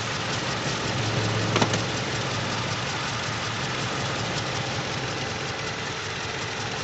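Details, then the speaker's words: Toyota Innova gasoline VVT-i with rough, uneven idle and stumbling beat, vibrating in neutral and reverse; one cylinder misfiring after tune-up, ignition coil suspected dead. "kasi may misfire e mayong isang silindro na hindi gumagana ng matino kaya ganyan"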